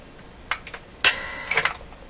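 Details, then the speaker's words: Bang & Olufsen Beocord 2000 De Luxe tape recorder under repair, powered up and put into play; a few sharp clicks, then brief rapid buzzing chatter with a faint hum. Relay chatter, possibly from an unexpected AC voltage (60-cycle); cause suspected, not confirmed. "okay so now that did sound like like a relay chattering didn't it did it sound like a chattering or it's closed with a terrible ac voltage it's not expecting"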